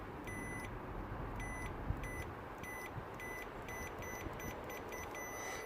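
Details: Audi A5 TFSI 8T with MMI falsely requesting oil, oil level switch found stuck in one position, after freeing it: sharp electronic beeps every half second over faint engine hum; chime working properly.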